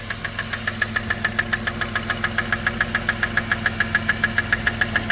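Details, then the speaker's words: 1997 Dodge Caravan LE, running on ramps: sharp, regular knock about twice a second over the idle; bottom-end knock, owner suspects bad bearings and plans to drop the oil pan. "oh yeah that's bottom end sounds good all right we'll get her shut off"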